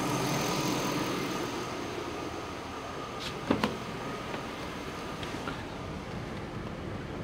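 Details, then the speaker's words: Chevy Tahoe after an electric fan conversion with PCM wiring done, engine not yet warm, AC on; quiet, even idle under a soft, steady fan rush with a faint whine, both fans on low. Normal idle with electric fans on low. "she's not exactly warm so let's start with the air conditioning oh yeah they're on they're on low speed but they're both on"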